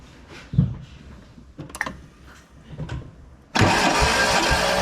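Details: Fiat X19 non-runner being diagnosed; starter cranking at an even pace with steady compression pulses during a compression test, about 150 psi on all four cylinders, healthy compression.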